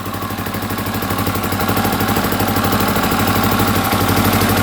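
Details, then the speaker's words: 1982 Honda XL500R single-cylinder, a little cold-blooded, throttle slightly adjusted: even steady idle, slightly rising, no knocking or tapping; engine healthy. "there we go she's a little cold blooded but she's idling pretty good now had to adjust the throttle just a little bit"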